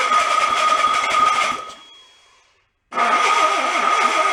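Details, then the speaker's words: Junk VW air-cooled engine from a 1958 Beetle, sat 30+ years in a swamp, first start attempt: ragged sputtering with irregular pops, dies and catches again, fire out the back; rough running with backfire. "got fire coming out of the back one strong"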